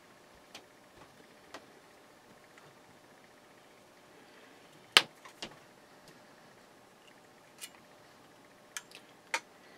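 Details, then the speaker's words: Breville BM0734XL microwave oven powered with smoke: irregular sharp snaps and crackles over a faint hum; high-voltage arcing inside the magnetron's plastic, where insulation broke down, melted and charred. "in inside that plastic that's where it's arcing so that's where it failed right inside there the insulation broke down and it melted inside and it's all charcoal"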